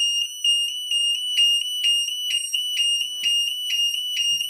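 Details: Burglar alarm sound bomb and strobe in a vented bell box, test run: a piercing high tone pulses about twice a second, evenly and without dropouts, with the strobe lighting the case, so the siren is working normally.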